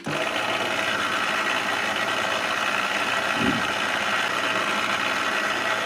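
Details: Clatronic KM2718 1000 W kitchen mixer after repair; its head had not turned because the drive belt slipped loose, fixed with a metal disc over the gear: steady, even whirring hum with no slipping. Normal running.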